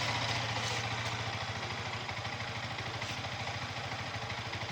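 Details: Yamaha R15 V3 BS6 at about 8,000 km, after rocker arm replacement and valve clearance set for engine head noise: steady, even idle with clean, regular exhaust pulse and no valvetrain ticking; normal idle, noise fixed.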